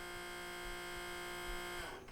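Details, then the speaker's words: Sony CDP-CX355 CD changer, nearly 20 years old, showing a table error: the motor whirs with a steady fine buzz for about two seconds but the carousel doesn't spin. The belt is likely broken, slipped, stretched or turned to goo. "You could hear that the motor's turning, but the carousel isn't spinning. This usually means that the belt is broken, slipped off the pulley, stretched out, or just turned to goo."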